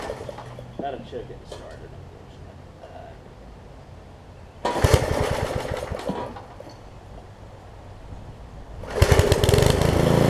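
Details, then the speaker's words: Craftsman 17-inch rear-tine tiller with 5hp horizontal Briggs engine, probably 1990s, test-tilling after a new carb diaphragm; revs up and drops back in bursts without missing. It runs and tills, but has a tiny fuel leak at the diaphragm (owner suspects a cheap diaphragm). "all right so it runs it tills I said I got a tiny tiny fuel leak right around the diaphragm here"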